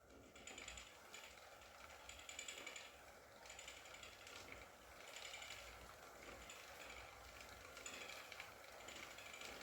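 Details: Wahoo KICKR CORE trainer with Zwift Ride, strapped to a rocker plate, during slow pedalling: faint dry clicks about once a second with each revolution. The issue seems to be a known one, and the unit was replaced with a KICKR CORE 2.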